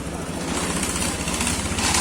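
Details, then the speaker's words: Honda Scoopy ESP engine rebuilt from scratch, first start after assembly: quick, evenly spaced low putter at steady idle with no rattle or tapping; the earlier clattering noise is gone, smooth normal idle. "udah halus suaranya untuk di video mungkin seperti biasa ya namun untuk langsung ini udah halus"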